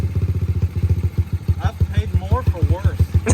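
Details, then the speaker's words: Early-2000s Yamaha TTR 125 dirt bike, rebuilt with donor front end, exhaust repainted and spark arrestor cleaned: crisp steady single-cylinder thump, blipped throttle, no knocking or misses; running healthy. "sounds real good hammer that throttle one good tombow dude that sounds so good"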